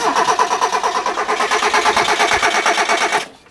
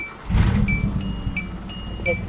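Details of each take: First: Automatic Hyundai with a swapped throttle position sensor and the air intake hose refitted. The starter spins the engine evenly for about three seconds with no firing, though it ran yesterday after months of hard starting. The owner wonders if the fuel pump is running. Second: Hyundai fitted with a swapped throttle position sensor. It cranks and catches at once, then revs cleanly over a chiming warning tone; it runs perfectly, so the sensor isn't the fault.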